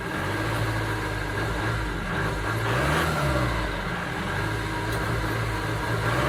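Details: 2009 Ford Transit Sport diesel van idling with an uneven, stumbling beat that stays rough as revs rise; engine misfire of unknown cause.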